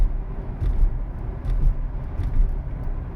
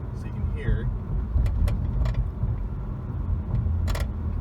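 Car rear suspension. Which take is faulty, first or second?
second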